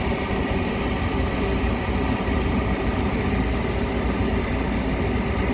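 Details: Lennox rooftop unit after heat exchanger replacement, burners blown out, heat call in service test mode: steady even roar of blower and burners with no rattles, booms or surges; normal heating operation.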